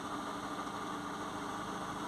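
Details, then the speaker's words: Peugeot 207 previously no-crank with no ECU communication, after reconnecting a yellow wire where a pin had broken inside the corroded engine ECU: faint steady idle hum with no misses, stumbles or knocks; running smoothly, no engine light. "right before it was a no crank so I'm getting the engine light it's actually well it's started I don't know if you can hear it but it started"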